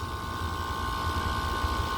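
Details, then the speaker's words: Upstairs outdoor AC condenser, after clicking on and off four times before engaging, runs with a heavy low rumble and steady high whine, louder than the larger unit beside it. It sounds strained; this unit earlier wasn't cooling. Cause unknown. "it seems like it finally engaged but it sounds so much louder than than this other larger one even i just don't know if that's normal i get the impression that it's struggling"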